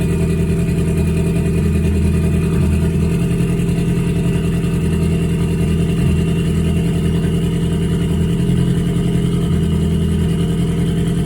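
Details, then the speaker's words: Ford Focus cold idle warming up, uneven stumbling lumpy beat about three pulses a second; scan tool shows misfire count six, misfire on cylinder three after recent spark plug and injector change; timing suspected off, unconfirmed. "Misfire count six. So is she misfiring? Really? So, we have a misfire detected cylinder three."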